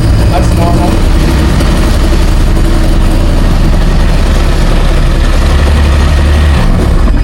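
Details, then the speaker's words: 2001 Sea-Doo 3-up jet ski, $400 non-running purchase, first start out of water, heavy smoke; loud, lumpy, uneven low rumble, idles but won't rev properly; water leak into motor later found. Rough running, poor revving. "Alright, sounds a little rough around the edges. We might just take let's get rid of that noise."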